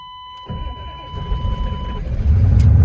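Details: '94 Suburban 6.5 diesel, hard start: a chime, then about two seconds of steady low cranking before it catches and rumbles into a rough idle.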